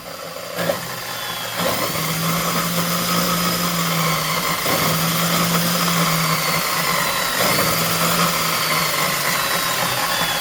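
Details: DeWalt chop saw that was bogging down, brushes suspected, after motor repair and reassembly; spins up with a clean rising whir, revving up faster, steady hum, no harsh rattle; normal running.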